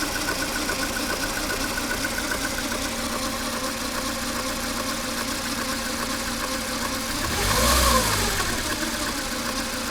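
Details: Mercedes A 140 (W168), 2002, 133,000 km, at idle: a light, fast metallic ticking rattle at about four per second over a steady idle, recently developed. A mechanic suspects the timing chain or chain tensioner; not confirmed.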